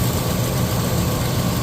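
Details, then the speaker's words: Pontiac V8 on its first drive in 50 years, hood off, compression not yet tested; smooth, even low rumble with a steady beat and no ticking or knocking, exhaust even on both sides; healthy idle. "exhaust sounds exhaust is equal and sounds good"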